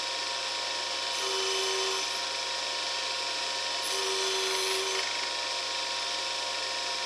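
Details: New U3 universal cutter grinder, test cuts after diamond dressing: steady motor hum, then two clean hissing cuts of about a second each; smooth and even, normal.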